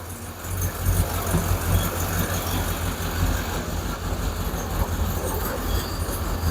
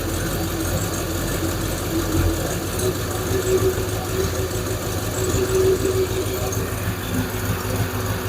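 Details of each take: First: Hemi V8 Plymouth Duster idling right after an alternator replacement, charging at 13.8–14.9 V: deep, steady idle with an even low rumble and no knocks or whine; engine running smoothly and healthy. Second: Hemi V8 Plymouth Duster after alternator replacement, idle screw turned up slightly from a low idle: steady, slightly brisk idle with an even rumble, now sounding a touch too high; owner also suspects a loose rocker shaft.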